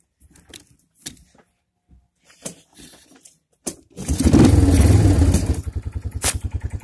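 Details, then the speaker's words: Older Kawasaki Bayou 220 ATV, pull-started with no battery fitted: catches after fumbling and settles into a lumpy, uneven thump about four times a second. Owner blames the missing battery. Rough running. "as you guys can tell i just pulled started it and it is running like i said it's not the smoothest running because it doesn't have a battery"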